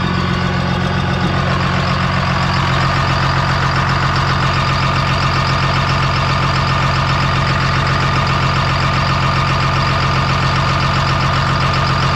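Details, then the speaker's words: Bought dozer at a steady diesel idle with a light, even flutter of about 2.5 beats a second; it did not have this when inspected last year; cause not known. "that thing's got a little flutter in it when I looked at it last year and run it it did not have that"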